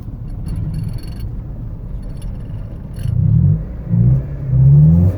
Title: Eg exhaust leak power loss